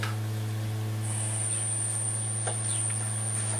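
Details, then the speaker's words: 1960s Dynatron Nomad TP11 radio powered at 12 V on first test: loud steady low hum drowning out the radio from power-up; owner suspects power supply capacitors or insufficient supply voltage. "Could just be because we haven't got enough power on it yet. That don't sound good, does it? Okay. That sounded scary."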